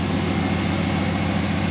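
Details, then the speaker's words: 1968 Dodge Dart 340 V8, rebuilt A727 transmission, pizza-tray heat shield against carb heat soak, at operating temperature: deep, steady idle with an even whoosh of the electric cooling fan; normal running. "You hear the fan running, so it's blowing all that hot air in that direction."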